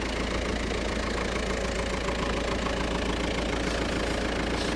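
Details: Subaru Impreza GC8 WRX STI at idle after replacing leaking braided fuel lines with rubber fuel pipe, keeping the parallel fuel rail, fuel system primed: steady idle with an even low pulse, no misfire or stumble; runs properly.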